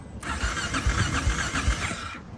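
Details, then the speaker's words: Honda XR650L that kept dying intermittently: starter whirs about two seconds with uneven pulses but never fires, because a loose clip on the connector into the box by the battery wasn't fully seated. Cranks but won't start. "it's got to be clipped in all the way if that's a little bit loose it'll die like that that's what it was doing won't start like"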